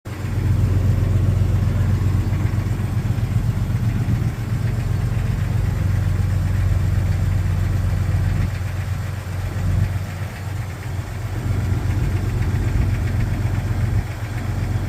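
Cold inline-six idles with a steady, hollow knocking, about four a second, typical of piston slap. Cause suspected, not confirmed.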